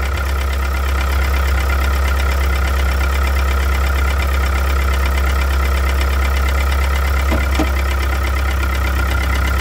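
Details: 1998 Mitsubishi DSM (Eclipse/Talon, 420A) at steady idle with a light, somewhat uneven bottom-end knock about three per second under the engine note; owner suspects a rod bearing, unconfirmed.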